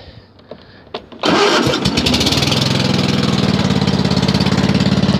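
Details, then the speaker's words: Twin-cylinder riding mower with a 50-inch deck, replaced transmission, 250 hours and due for an oil change: it catches after a few cranks and settles into an uneven, loping beat. Spark is present on one cylinder; owner suspects it runs on one cylinder, untested. "I just had to run some tests on it but I feel like it's not running on two cylinders it could be but I just don't know for sure"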